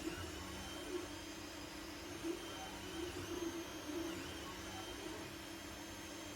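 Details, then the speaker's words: Anycubic Mega S 3D printer printing after hotend, mainboard and power supply fans were replaced with quieter ones; part cooling fan still stock: only steppers and stepper drivers audible, faint fan hiss, normal quiet printing. "So as you can tell, the only thing you can really hear are the steppers and the stepper drivers. The fans themselves, you can't hear them at all."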